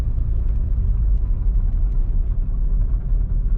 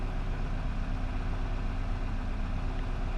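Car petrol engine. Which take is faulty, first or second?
first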